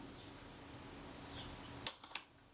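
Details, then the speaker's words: Rolleicord Va leaf shutter at 1/15 s during service, a ragged cluster of three quick clicks instead of one clean snap; pressing down on a part blocked the shutter action, which is also running too fast and needs further adjustment. "That was me pressing down on this piece here, was blocking the action of that. That was not how the shutter would go."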